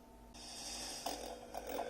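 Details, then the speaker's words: Panasonic 3DO FZ1 console whose audio is weak until warmed up, after about a minute running: hiss swells in with scratchy crackles popping over it and the volume rising. Suspected failing capacitors; a recap is planned as the fix. "Alright, folks, so I literally just walked away for a minute, if even that, and you can hear the audio kind of coming in here and there. It's getting much louder. It's very, very scratchy. But I think the seller was being honest on this one, so that's good. That may be a cap issue."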